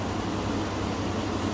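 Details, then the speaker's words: Chevy/GMC after resetting the battery: steady even hum with only a soft air rush, no loud fan roar; radiator fan now running quietly as it should. "so with the battery reset tada quiet fan"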